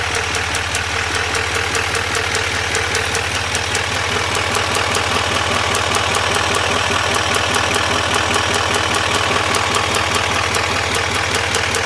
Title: 2021 duramax l5p ticking noise